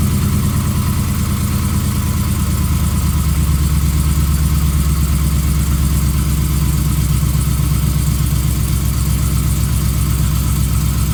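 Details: 2015 Ram 5.7L Hemi with long-tube headers, almost 18k miles: loud, even V8 idle with a steady fast ticking knock that recently started and is less noticeable once warm; the owner suspects piston slap; cause unconfirmed.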